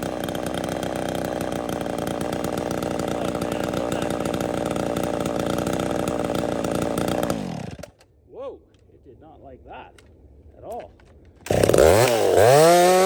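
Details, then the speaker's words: Ported "Little Mac" chainsaw cutting firewood: steady high-pitched scream with no four-stroke burble, then falls away and dies; running lean, will not four-stroke, dislikes being even slightly rich. "Little Mac does not at all like to be even the slightest bit rich. It sounds like it's lean, like it will not 4-stroke this saw."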